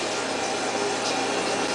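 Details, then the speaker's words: Toilet refilling by itself multiple times a day with no flush, before repair: steady even hiss of water running into the tank; owner plans to fix it by replacing the fill valve with a Fluidmaster. "That sound. This toilet does this, just automatically refills itself every day, probably multiple times a day."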